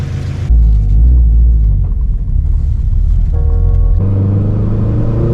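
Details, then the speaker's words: Toyota GT86 with new axle fitted, on road test: engine pulls hard then breaks up badly at the top of the rev range under boost; owner suspects worn spark plugs (never changed, high mileage) and plans a new AEM wideband sensor. "so that was breaking up really really bad up top um i am going to put a new aem wideband sensor in here"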